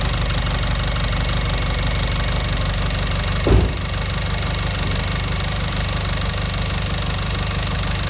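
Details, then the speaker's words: Audi A1 1.4 TFSI (CAXA four-cylinder petrol), started after a filter service with the charge pipe and sensor refitted: a brief surge at start-up, then a steady even idle with no misfire, knock or rattle. Normal start and idle. "okay finally we can start the car"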